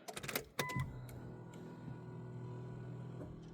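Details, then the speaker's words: 1998 Nissan Skyline R34 25GT RB25DE NEO converted to turbo with Nistune ECU, before first start, ignition on: a couple of clicks then a faint steady electric hum for a few seconds; fuel pump priming normally. "Just let it prime first, the fuel. Yeah, fuel pump prime first. Time. I can hear it."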